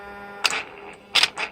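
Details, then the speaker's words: Older-style throttle actuators from a Mercedes 600SEL, bench-tested hot with the E-gas module: a thin screeching whine while holding position, then sharp ticks as they move. This motor noise is normal for the design. "you can hear it especially when they hold yeah you hear that noise yes that screeching sound don't worry about that that's nothing it's just that the way the motors are designed they're loud they're loud"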